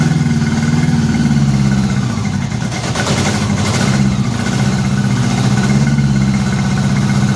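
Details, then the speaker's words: Honda Gold Wing first run after head removal and new head gaskets, briefly run with no coolant and moisture still in crankcase; steady, even idle with smooth drone, no smoking, no weird noises. "she wasn't smoking no weird noises"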